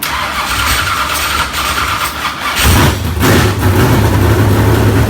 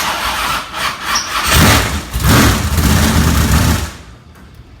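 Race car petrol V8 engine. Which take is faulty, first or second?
second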